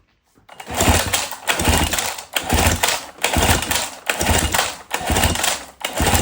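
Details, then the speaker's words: 1977 Johnson 9.9 outboard, sat for years, electric-start cranking during compression test of bottom cylinder: steady even bursts just under a second apart, no firing; reads about 100–101 psi. Normal cranking. "This one looks like a little bit higher. Uh about 100, almost on the money. Maybe 101ish."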